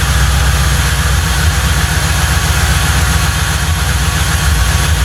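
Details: 1995 Lincoln Mark VIII with forged-internals 4.6 4V DOHC V8, after transmission pulled and refitted: deep loud steady rumble, even low idle beat, no knocking or rattle; engine running normally.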